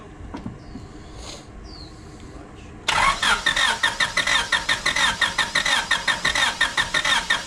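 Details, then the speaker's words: 1996 Honda Civic coupe that sat untouched 8 years, on fresh fuel and a jump box. The starter churns in even pulses but the engine never fires. No fuel pressure, and the pump is suspected; crank-no-start with no fuel delivery. "So far it looks like we're not getting any fuel pressure, so the pump"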